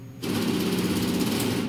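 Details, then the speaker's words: Redsail X700 clone 60W laser cutter, X axis auto-homing at startup with broken homing sensor wire, sensor LED not triggering: about 1.5 s harsh rapid jackhammer-like buzzing rattle as stepper stalls against the frame until emergency stop. "and then that happens. So you hit your emergency stop, like I said, lots of noise, obviously not good for your machine."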